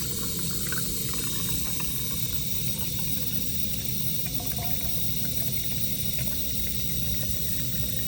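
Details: Hotel sink after plunging to unblock it; water runs off in an even trickle with gentle gurgling and no backing up, so the drain is flowing freely.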